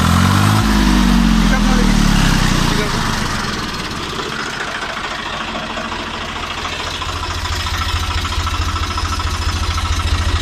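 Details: Tractor 855 FE diesel after replacing a broken rocker bolt with a genuine part (had engine noise and black smoke): engine catches and settles into an even, regular idle at steady speed, no knocking or tapping; healthy.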